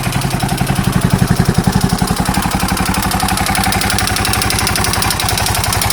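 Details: KTM 640 LC4 single at idle with a heavy, regular clattering knock about three per second over the thumping idle, louder than normal; owner unsure whether top end or bottom end.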